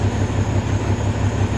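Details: 2003 Freightliner Columbia, Caterpillar 3406 (6NZ) diesel, after adjusting the number 5 injector that caused yesterday's problem: steady, even, smooth idle at correct rpm, no stumble or shake.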